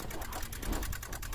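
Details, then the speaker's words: Cheap Ford Super Duty diesel at key-on, about 40°F outside: fast, even clicking of roughly nine per second; glow plugs don't seem to be working, and the clicking source is not yet found. "So it doesn't sound like the glow plugs are necessarily working. I'll let it cycle through once. I'm going to cycle through it a second time. Something's definitely clicking, making some noise."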